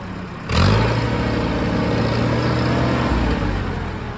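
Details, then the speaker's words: Allis Chalmers 170 tractor after replacing a bad coil-to-points wire that caused an intermittent electrical fault; catches at once and settles into an even, steady, smooth idle with no misses or knocks. Normal start and idle. "So I put new wire on there and we're all good to go now. But boy, this thing really runs nice."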